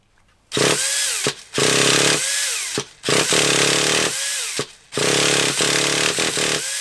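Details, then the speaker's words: Traxxas Revo 3.3 nitro RC engine, pull-started indoors on a cold night (about 2°C outside): short buzzing bursts that die each time; it smells of fuel trying to burn but won't keep running, and the owner thinks it needs heat. "I can smelt a few so he's trying to go [Music] I think we are gonna need a bit of a heat on it I can smell the fuel you know I can smell it trying to burn so he's trying to burn"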